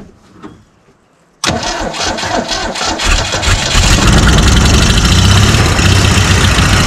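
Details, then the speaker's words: 1969 Ford Falcon, dried out after sitting for years, primed with fuel before its first start: after cranking it catches with ragged pops and spitting bursts, backfiring in the face, then settles to an uneven idle. Possibly lean spitting back through the carb, unconfirmed. "Oh my god. Oh, man. That was awesome. Right in my face. All right. I think we're good, guys. She's firing."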